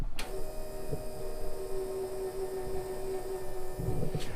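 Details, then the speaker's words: Citroen HY van with a no-start, fuel pump tested into a container after adding fuel: steady electric hum with a thin whine but no fuel delivered; a dry-rotted hose is suspected of sucking in air. "I don't know if you guys can see this or not but it is pretty dry rotted right there so this sucker could be just sucking in air"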